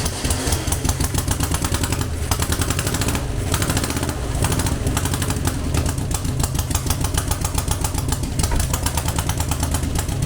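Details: Air-cooled VW Beetle 1200 engine, long dormant, on a test stand after plugging front vacuum leaks: lumpy, uneven idle with a repeating stumble where one beat drops out; dead cylinder from a stuck lifter holding the exhaust valve open.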